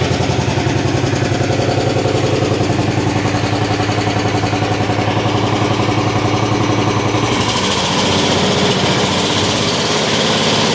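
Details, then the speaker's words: 1973/74 MTD 990 hydro tractor, Briggs Big Block with rebuilt, retuned Flo-Jet carburetor (more jet added), burns some oil: small single thumps at a steady beat then settles smoother with no stumbles; running right, very quiet hydro. "that's about normal never had one they charged yet hey it does run and it does move so that's really good the Hydra is really quiet one of the quietest I've ever had nice little machine"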